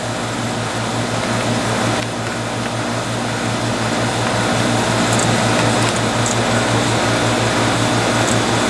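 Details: Airtemp CIV08S2AC 7,600 BTU casement air conditioner cooling, output stable at 36: steady low hum, mains-pitched drone and smooth fan rush, no knocks; good charge, though airflow is weak and probably needs cleaning. Normal cooling.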